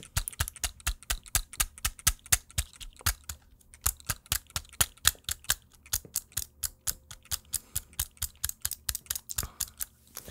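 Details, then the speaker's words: Cooler Master MM710 lightweight mouse set down on a desk gives sharp, repeated clacks with a loose internal rattle. "also when putting down the mouse you can hear all kinds of rattling so"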